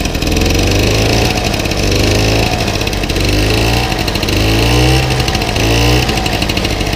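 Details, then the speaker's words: 1964 VAP 632 moped, 610 two-stroke engine, cold with a little choke, after a few hours' restoration: buzzes steadily and rises cleanly on each throttle blip, no misses; running fine. "les amis, ça fonctionne. Je peux pas vous dire comme je suis content."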